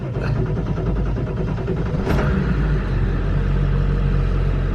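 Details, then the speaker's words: 1999 Ford F350 7.3 Powerstroke, ice-cold engine, one glow plug cycle, after a Melling M208 high-volume oil pump install: it catches quickly, builds oil pressure right away, and settles into a firm, even diesel idle clatter. A normal cold start. "That's pretty good. That's pretty good. We're getting oil pressure right away, and I can tell it's just a lot crispier. It would not start like that before."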